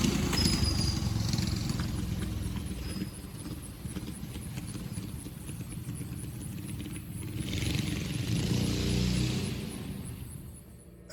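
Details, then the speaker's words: 2023 York AC outdoor condenser running in cooling mode after evaporator replacement resolved freeze-up; steady low compressor rumble with even fan whoosh, no knocks, rattles or squeals, running normally. "ever since then uh it's been cooling just fine thankfully"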